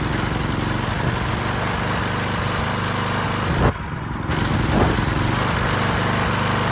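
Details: Stiga Pro 48 mower with a Briggs & Stratton engine, fitted with a new tank, air filter and spark plug and a cleaned, rebuilt carburettor: runs steadily, then a sudden half-second drop-out and stumble before recovering. Misfire persists, cause unknown.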